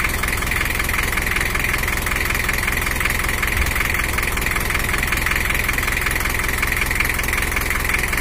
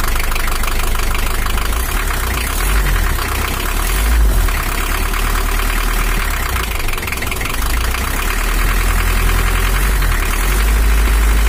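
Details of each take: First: Toyota HiAce LH11 1984 diesel (2L, 2,200 cc) after repair for overheating and coolant overflow, set back to standard settings: even, steady idle clatter with no misses, knocks or surges; normal idle. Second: 1984 Toyota HiAce LH11 2L diesel, brought in for overheating, just started cold with the injection pump set fully to maximum: fast, harsh idle with a hard, uneven clatter over a deep drone, idle too high; rough high idle from misadjusted injection pump.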